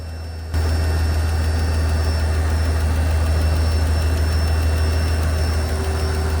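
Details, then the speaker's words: Mercedes CL65 AMG twin-turbo M275 V12 at first start after new plugs, coil pack and moved voltage transformer: deep idle with light regular tick about three a second from the side just worked on, absent before; source unconfirmed. "There was a ticking noise coming from the exact side I had just worked on, and that noise was not there before."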